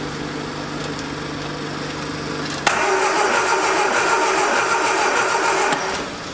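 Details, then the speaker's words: 1979 Triumph Spitfire with electronic ignition that sat about 20 years: fan hum, then the starter turns the engine steadily but it never catches; cranks, no start. "But anyway, we know it turns over, so I guess we can try it."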